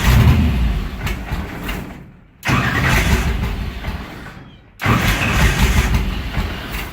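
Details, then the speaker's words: Car with mechanical fuel injection, fuel shut off: restarted after running dry, it catches and runs rough a second or two, then fades and dies, repeated to suck fuel from nozzles, barrel valve and line; fuel-starvation stall. "There's no fuel in the engine. It won't get any fuel in the engine."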